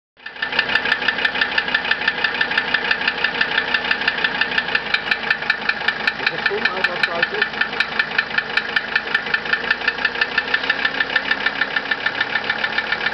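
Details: 1982 Mercedes-Benz 300D Turbo (US) diesel at idle after injection pump timing, rebuilt injectors and valve adjustment: sharp, even ticking several times a second; timing chain stretched two degrees, chain tensioner suspected; engine ticking.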